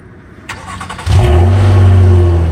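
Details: 2009 Nissan Maxima with a homemade exhaust leak, for comparison with the stock exhaust: engine catches and settles into a deep chuffing idle with a raspy puff under it; exhaust leak.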